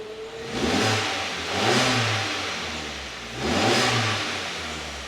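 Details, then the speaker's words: MG3 after a spark plug replacement to cure misfire, sputter and hard starting. Cold start: a smooth idle and two clean blips that rise and fall back to a steady idle with no stumble or misfire; running right. "Okay, cold startup, nice and smooth idle. I'll give it a little rev or two, but look, that's exactly what we expected it to be."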